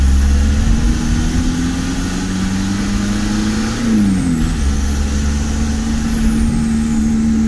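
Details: VW T3 camper with TDI diesel, down on power with high fuel consumption: steady flat drone that barely climbs under full throttle at low revs; suspected injection pump timing out of spec.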